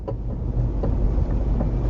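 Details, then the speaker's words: Nissan Murano, passenger-side rear, mic in the back: faint soft clunks and creaks as the body is rocked back and forth in a cul-de-sac, over a low rumble; heard more at low speeds, less noticeable on freeway; bad rear shock mount on top of shock. "But it's just a little clunking, creaking sound, I should say, maybe."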